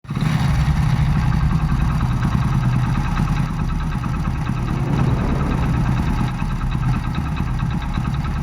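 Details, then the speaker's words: Hero Splendor single-cylinder motorcycle idling with a fast, light metallic rattle over the thump; timing chain rattle, with mechanics typically advising replacement of the full timing chain set. "Guys जिस किसी के पास भी Splendor है अगर उसमें ऐसी आवाज आ रही है तो आप सर्विस सेंटर या लोकल मैकेनिक को दिखाओगे तो वह आपको बोलेंगे इसमें टाइमिंग चैन का खर्चा है। टाइमिंग चैन चेंज करनी पड़ेगी।"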